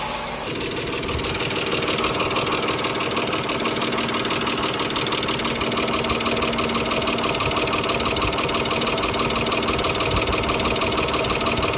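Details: 2004 Mitsubishi Galant 3.8L V6 6G75 non-MIVEC: steady, even idle with a light, regular valvetrain tick about twice a second, no squeal or knock; normal idle.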